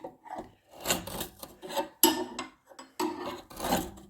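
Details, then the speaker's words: Cylinder mower backlapping: cylinder turned backwards by hand with wood or wheel after tightening to sole plate, uneven bursts of dry rasping as blades grind against sole plate to sharpen them. "It mills the sole plate and the blade together. And we do that several times until we get a nice fluid movement, which I'm just starting off now. You can hear it actually grinding against the whole plate."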